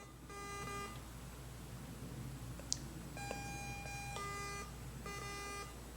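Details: Garrett AT Pro metal detector, retested after acting up on the beach, same settings and the coil held clear of the ground: repeated chirps in bursts about every second; false signals, owner suspects a bad coil, not confirmed.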